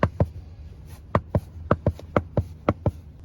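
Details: 2020 Mercedes GLC300 4MATIC SUV, engine off: sharp, dry clicks, often in pairs, from a loose driver-side floor panel under the all-season mat when pressed. The clicking is also noticed while driving.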